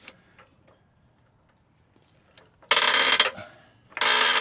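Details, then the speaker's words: Floor jack used while raising the rear of a 2025 Ford Explorer ST during an H&R spring install. Harsh half-second creaks and groans with each pump stroke, quiet between them; the jack is noisy, cause not clear. "Oh yeah, that leg workout, guys. It sounds like the Titanic's sinking. Yeah, we might be going to Harbor Freight for a new jack."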